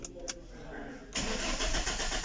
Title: Car cranking but won't start